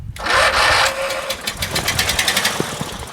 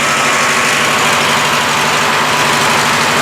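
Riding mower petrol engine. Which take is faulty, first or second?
first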